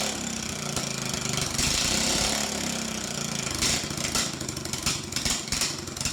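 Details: Troy-Bilt riding mower sitting since 2014 with an ethanol-gummed carburetor, no fuel pump, started off a jump box: small single-cylinder engine running steadily with a busy, buzzy exhaust note, no knocks or misses. It runs fine again.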